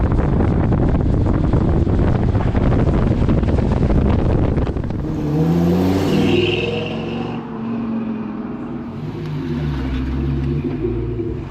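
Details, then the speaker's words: V10 swapped into a Mustang, on test drive after plugging in a missed ECU plug; hard pull builds, then power abruptly collapses as revs climb; runs fine under 2,500 rpm, cuts out from about 2,800-3,500 rpm, cause unknown. "The, uh, problem is once you get over, try to get over 3,000. So, 2,800, 3 grand, 3500, it just cuts out."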